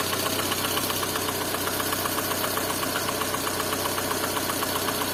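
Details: Lada Kalina engine at steady idle: crisp metallic knock repeating about four times a second, evenly spaced over the engine hum; engine knock of unknown cause.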